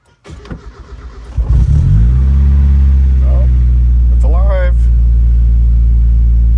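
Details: 1989-1997 Mazda Miata MX-5 after battery replacement for a no-start: brief cranking, catches in about a second and settles into a steady, even idle.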